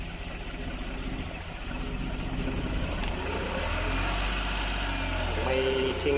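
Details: Suzuki F6A three-cylinder rear-engine multicab, hard starting from tight valves after overheating from near-dry oil: fairly even idle firing steadily around four beats a second, no ticking or knocking.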